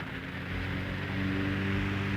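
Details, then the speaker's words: 1931 Emerson desk fan, Model 29646, on the repair bench before cleaning and oiling. Steady, even low hum with no ticking or scraping on high speed, drawing 840 mA and 60 W. Normal running. "running good and we're drawing 840 milliamps for 60 watts not bad at all"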